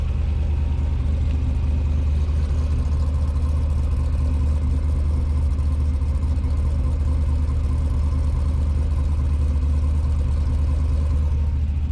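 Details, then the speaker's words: Freshly built 370 LS V8 in a Chevelle, cam fitted, idling just after start-up: steady, even, quiet burble through a fairly short exhaust with mufflers, no knocks; owner notes only a faint exhaust tick, barely noticeable. Normal idle. "It's got a decent sounding cam on it. It actually runs really quiet for the exhaust that's on it."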